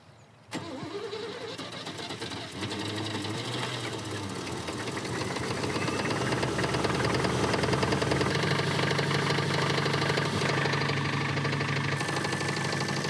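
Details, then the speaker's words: Engine in the Bruiser Wagon after solvent cleaner was poured into the crankcase to free suspected stuck lifters; it cranks, catches and runs rough with a steady knock about two to three per second, cause unclear. "Let's throw in the crank case. See if we can clean up these hopefully gunky stuck lifters or we just ruin everything."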